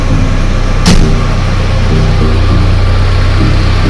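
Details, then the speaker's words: 4x4 gearbox after dismantling and repair of main gear, reassembled: in drive mode with wheels turning, steady even low drone with no whine, grind or knock; previous gear noise gone, gearbox running smooth. "जो आवाज़ आपको पहले दिखाई दे रही थी अब वो gear के अंदर कोई भी आवाज़ नहीं है, कोई भी आवाज़ नहीं है, स्मूथली और टायर आपके तो देखो अब हमने इसको ड्राइव मोड में डाला हुआ है और कोई आवाज़ नहीं आ रही है।"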